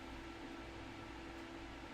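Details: Custom-built gaming PC "Black Knight" with side panel off: fan tuning profile at 100%, steady airy whoosh with faint constant hum, no ticking or rattle. Fans running smoothly at full speed.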